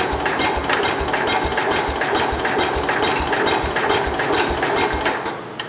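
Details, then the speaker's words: 1969 Cub Cadet 105 garden tractor with a small prime of gas in the cylinder: loose, uneven pops around two beats a second while cranking, firing briefly but not catching to run; owner thinks too little fuel. "Firing, but I don't think I put much gas in it to begin with."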